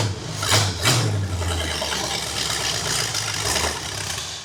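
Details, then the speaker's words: Used Pontiac 455 V8 after oil priming and re-stabbing the HEI distributor, first start: catches with blips then strong even run, no knocks or misses, though starter sounds bad; normal running. "Man, we got a ripper. That one sounds really good. Wow, that far exceeded my expectations on how this car was gonna sound."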